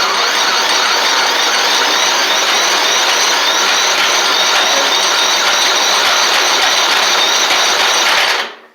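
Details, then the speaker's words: Murray 24-inch riding mower, Briggs engine, had water in fuel and rust in engine: steady rapid starter whirring for eight seconds, sounds like it is trying but never catches; cranks but won't start. "it really sounds like it's trying that actually sounded like it was wanted to go there"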